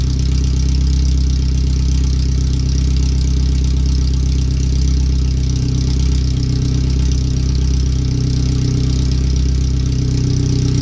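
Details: First startup after replacing header, fuel filter and differential bushings/seals, with O2 sensors relocated and a wideband bung added: very loud, raw idle with steady low thrum and sharp pulses from open header, no exhaust fitted; computer read 5–7% rich at idle in closed loop.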